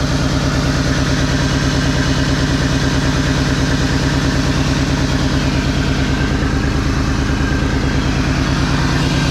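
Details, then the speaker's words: 2001 Mazda B3000 with LS V8 swap, started after sitting 18 months and warmed up a while: even, lumpy V8 idle with a faint puffing tick, a small exhaust leak somewhere. "woo I love the way that sounds a little bit of an exhaust leak somewhere"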